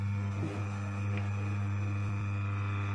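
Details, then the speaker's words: Daikin indoor AC fan motor, freshly rewound, 3-speed, 45 µF capacitor, running on high (black wire) at about 2 A: steady, even low hum, no knocks or rubbing; runs smoothly and healthy. "य motor चलती है मेरी high ले रही 2 point य समझ लो न air ले रही हाई प यानी कि सा एंपियर से आधे"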